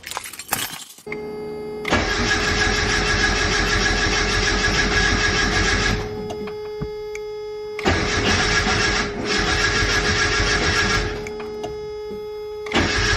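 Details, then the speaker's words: Turbo Mazda Miata at 10 psi, with more cranking fuel added to the tune after hard cold starts and questionable injectors: quick catch on the starter, then steady, even idle with a couple of blips; loud exhaust, starts and runs cleanly. "this exhaust barks woof woof she uh she sounds good it's a little loud"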